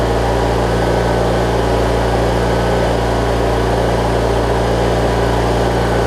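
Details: Briggs & Stratton opposed twin engine on a Craftsman rider, after replacing the 3-screw fuel pump and adding a missing fuel filter; it had been hard to start and not always getting gas to the carb. It now holds a steady, even idle with no misses or surging.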